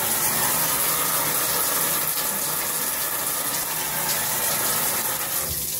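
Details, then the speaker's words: Shower panel at the owner's usual flow setting, below full blast: steady, loud rushing hiss with no rhythm or pitch change. Excessive flow noise; owner says water pressure is too high to open it fully, and the rainfall head drips. Cause not confirmed. "so that's about the speeds that I usually have it on it's just super loud"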